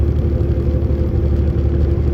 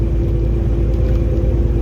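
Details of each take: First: Semi truck (automatic) locked in 11th gear under load: steady deep diesel drone, even low rumble, no buzzing; normal pull. Truck speed-limited, 2.6 axle ratio; in too high a gear it lugs and buzzes. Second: Automatic semi truck climbing a medium incline under load: heavy low diesel drone with a steady buzzing on top, meaning it is geared too high and lugging; buzzing stops after downshifting and locking into 11th.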